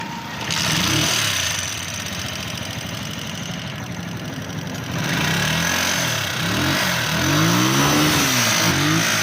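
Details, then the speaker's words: Loader 150cc single-cylinder engine with heavy smoke and oil blowing from the breather pipe. A loud, rough clatter swells as it revs. "तो जी दोस्तों, आप देख सकते हैं जैसे इस इंजन के अंदर से शोर बहुत ही ज़्यादा आ रहा था और इंजन के अंदर से बहुत ही ज़्यादा स्मोक आ रहा है"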